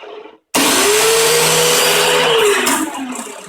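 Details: Troy-Bilt 2620 snowblower with oil and gasoline of unknown age, electric starter pressed with the key in: a loud, steady blender-like whir with no firing or catching; the starter spins but the engine won't start.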